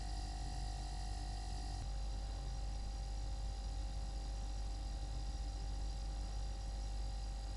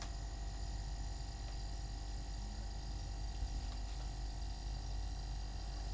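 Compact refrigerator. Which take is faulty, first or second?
first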